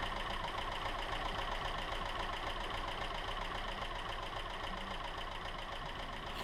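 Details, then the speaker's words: 2.5 SOHC Subaru engine test-run after broken timing belt and shattered cam pulley, belt replaced, no cooling system hooked up: even, smooth idle with steady pulses, no miss or knock; no misfire codes. "there you have it, guys. A pretty smooth running little engine."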